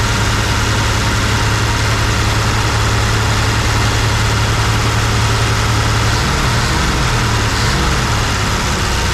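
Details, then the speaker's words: 1974 Plymouth Duster slant six, sitting since 1987, running on can-fed fuel, possibly without coolant (radiator possibly holed): a steady, even low idle rumble with no misses, pops or backfires. It took right off; normal idle. "oh man you can't beat that oh that thing took right off not seeing any crazy leaks or anything"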